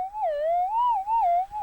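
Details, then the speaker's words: Minelab GPX 5000 metal detector auto tune sweeping channels toward 255: warbling mid-pitched tone wavers as it hits a busy channel with electromagnetic interference. "basically what that's doing is just it's finding a channel and it's that's a channel that has you know something being used on it and the machine's going to get noise here"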